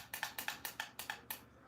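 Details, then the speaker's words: SCX Advance slot car on track, lane-change button on the hand throttle pressed: crisp, evenly spaced clicks, about four per second, as the solenoid drops the guide pin to switch lanes; normal operation. "That means that little guide pin, this little solenoid is striking that down and that little guide pin is dropping down."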